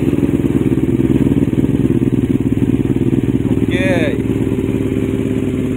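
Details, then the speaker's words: Kawasaki Ninja 250R FI after cleaning and TPS setting, previously sputtering at top end with exhaust pops, fixed by replacing the ECU: starts and settles into a steady, even twin idle with no misses or pops; normal idle. "nah seperti yang sahabat biker dengar sekarang jadi ringan ini tarikannya Oke atas bawah mantap"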